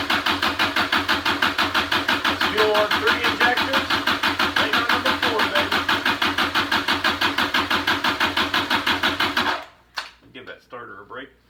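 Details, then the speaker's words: Junkyard Kubota diesel from a Motorec industrial cart, injector pump freed up, cranked via starter jumper cable with fuel up to only one injector: even cranking pulses around three per second for nine seconds, never firing. Cranking, no start. "i got fuel all the way ready up to one injector and we're gonna crank her till we got fuel at all four and then hopefully she'll fire"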